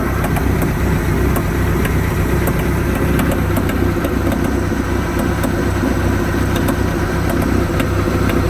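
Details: 1986 Sea Ray boat engine at idle with new coupler, outdrive and gimbal bearing: sharp light ticks, a couple each second, over a steady idle, seemingly from the rear of the motor; clicking source unknown.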